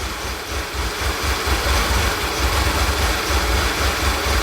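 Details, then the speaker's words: 2011 VW Tiguan with P0300 random misfires and many parts replaced, idling in open loop with fuel rail pressure 580 psi; lurching idle with stumbling thumps about twice a second, misfiring on all 4 cylinders, acting lean, cause unconfirmed. "It's misfiring on all 4 cylinders. It's acting like it's running lean."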